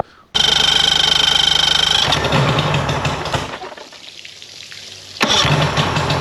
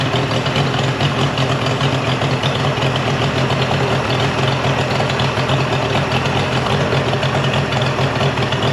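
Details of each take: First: Mercury 50hp two-stroke outboard after a full service and carb sync-and-link. It starts, then runs flat with a weak, loping beat, as if on only one cylinder; spark loss traced to a failed CDI/switch box. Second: Mercury 50 hp three-cylinder two-stroke outboard after a new switch box replaced a defective one. It gives a steady, even drone with no stumbles, and the telltale stream is good after clearing mud dauber nests.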